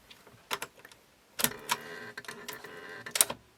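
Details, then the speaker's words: 1998 Sony TC-WE305 dual cassette deck: short rasping, gritty, creaky bursts in spurts as the cassette door opens, with vibration felt; suspected to come from the door damper part, not confirmed. "I love that squeaky door. Well, that's more a farty door, really, isn't it? Creaky door."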